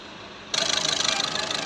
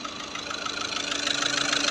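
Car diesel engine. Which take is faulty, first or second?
second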